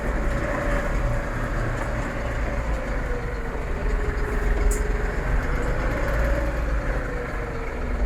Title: MF4708M SMS Geraeusch Getriebe 2 Gearbox Noise Problem Massey Ferguson 4708 4700